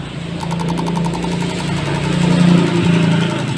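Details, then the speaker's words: Yamaha Vixion (old model), hard to start and dies when throttled: injector on an injector tester; quick regular ticking about four clicks a second over tester hum as the solenoid opens and closes properly. "jadi nanti ketika kita Nyalakan injector tester Nya maka selenoit ini akan membuka dan menutup"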